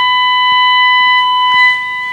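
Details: Rexina medium-wave radio receiving a 1 kHz test tone from a DDS modulator at a moderate signal: steady pure beep with faint overtone, no crackle, reproduced cleanly. Distortion appears only on strong signals, suspected IF AGC fault.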